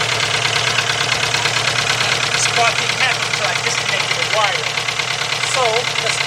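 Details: VW 2.0 engine running rough after a fuel pump change, plug wires 1 and 2 swapped on the coil: idle stumbles with an uneven, lumpy beat of about two pulses a second; cylinder misfire.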